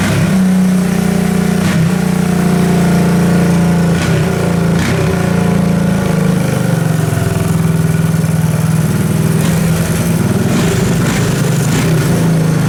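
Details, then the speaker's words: 1984 Honda ATC three-wheeler, single cylinder, free revival, first start after cranking with a little gas: runs steadily with a fast even putter near 200 beats a minute, no misfires, knocks or rattles. Normal running. "It runs. I don't think there's any more mosquitoes within 50-foot radius either."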